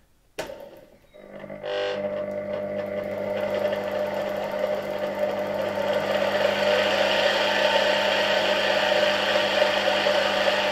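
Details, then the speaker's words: Polish RFSG vacuum cleaner (c. 1953-56) with replacement 1961 SK-5 universal motor, run up on a voltage regulator: whine climbs smoothly and steadies, faint bearing hiss, responds smoothly to adjustment; normal healthy motor run-up. "Okay, the engine is running pretty nice. You can hear the bearings a bit, but overall they work very well."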